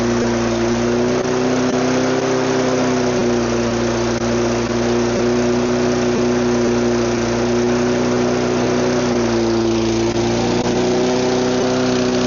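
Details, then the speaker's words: Neglected mower, no air filter or cover; the engine holds high idle with a steady buzz that sags and wavers around ten seconds, running rough; low idle wasn't enough. "Running. It's rough. Very rough. That was on high idle. Low idle wasn't enough."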